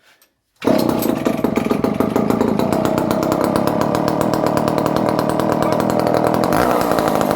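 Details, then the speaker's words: Circa-1970 barn-find Dolmar 118 Super chainsaw, untested a month, cold started with choke after a few pulls: steady even high-revving two-stroke buzz, no misfire or stumble; running well and oiling, though idle somewhat rough. "The saw is running quite good for years of. It's oiling, very nice."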